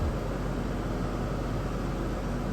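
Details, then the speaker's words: Ford F150: steady, even low idle rumble with no knocks, misses or ticks; checking gauges and oil pressure; runs nice. "Where are the gauges? Oh, gauge. That thing runs nice."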